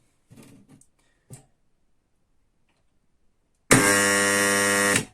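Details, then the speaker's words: PME-series electromagnetic contactor coil on 220 V: harsh loud mains buzz for over a second, contactor shaking in place, from corroded core faces causing armature chatter, before repair. "видим и слышим как у нас работает или к магнитный пускатель он даже как стиральная машина не стоит на месте и быт бежит"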